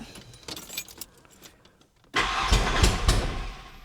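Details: 1991 Ford Ranger 2.3 with new coil packs, ICM, pump and ECU, timing believed correct and spark present: the starter churns at about four beats a second but it never starts; old fuel smells rotted, cause unconfirmed.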